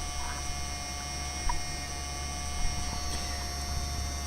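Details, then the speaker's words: PowerBook G4 laptop during Mac OS X 10.5 install: steady high whine with constant low hum from the cooling fan, not the hard drive; owner plans to take it apart and oil it; noisy cooling fan. "I'm gonna have to take it apart and oil that because that's just awful"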